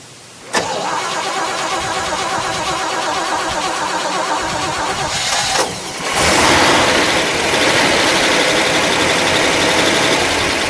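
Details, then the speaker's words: 1959 Chevrolet Bel Air, factory 348 CI V8 tri-power with three carburetors, 335 HP, 4-speed manual, restored original dual exhaust: V8 cranks, catches quickly and settles into a steady, even idle with deep exhaust rumble; normal idle. "Let's fire it up. We'll listen to it idle with all of it, how it normally sounds. Remember, this is an original exhaust."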